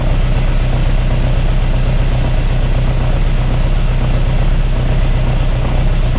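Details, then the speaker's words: Mk1 Austin Mini with an Arden 8-port head, cold idle with no idle air control valve: revs surge up and down instead of settling as the ignition-based idle control switches in and out. The idle is hunting. "when you sit in the early and see the idols jumping around all over the place it switches out of control the idol love"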